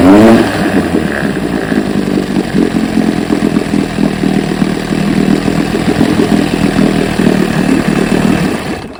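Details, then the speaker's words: 1968 Evinrude 9.5 HP outboard after cooling-issue repairs: even, crisp two-stroke buzz holding steady speed with no misses or knocks; motor now running perfectly. "I believe we got her. We got the good, but not good enough motor running perfectly."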